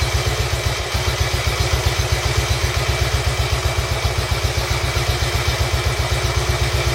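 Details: Royal Enfield Bullet 350 Classic first start after partial seizure repair, cylinder hone, new rings, decoke, valve clearances set and carb cleaned; slow steady thump about four beats a second, no knocking or misses, healthy idle, owner says fine tuning still needed.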